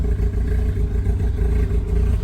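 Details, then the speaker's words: 2004 Mazda RX-8 rotary, idle problem after battery replacement, after reset procedure (pumping brakes 20 times): steady even low rumble, smooth rotary burble, no hunting or stumbling; idle holding fine. "But anyways, you can see how it's idling right now."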